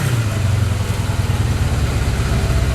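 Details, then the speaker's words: Kawasaki KZ550 project bike first running after carburetor work; steady even idle burble with no knocks, running pretty good, though owner notes some backfiring with flame from the exhaust and suspects it runs a little rich. "improvement it sounds like it's running pretty good"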